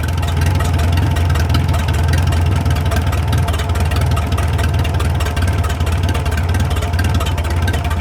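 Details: 1937 Willys flathead engine, revived after 25+ years sitting in the woods, at slow low idle with a steady deep thump, no knocking and only faint valve tick; running healthy.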